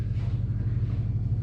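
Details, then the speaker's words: LS-swapped 1994 Chevy Impala SS idling on open headers after a broken header was welded. It gives a deep, loud, steady V8 rumble with no knocks or ticks: a normal idle. "Yeah, she's still loud. Open headers. Best way to drive them, as long as you don't get in trouble."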